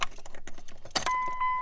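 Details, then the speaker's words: Truck ignition chime with the knee panel under the steering column removed, key in ignition: keys rattle, then a clean steady electronic tone holds; chime sounding normally, apparently coming from this side of the dash. "And now I could hear exactly where it's coming from. So now with that panel off, it definitely sounds like it's coming from this side."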